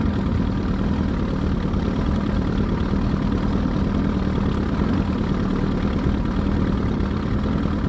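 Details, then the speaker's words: Evinrude 88 SPL V4 outboard at idle after replacement powerhead; earlier squeak/tick traced to under-torqued head bolt and gummed bolt holes, fixed by cleaning holes and new head gaskets torqued to spec; smooth steady low burble, no ticking or squeak. "Cleaned out all the bolt holes, made sure the heads were good and the block torqued to specs with new gaskets. Now it sounds like it should."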